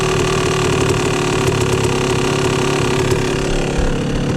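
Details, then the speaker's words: 2004 YZ250 two-stroke with the air screw at two and a half turns out and idle turned up: low, mushy, slightly wavering idle lacking a crisp crackle; dull uneven idle, running rich suspected but not confirmed. "It just doesn't sound super crisp to me. It should have a nice titting titting."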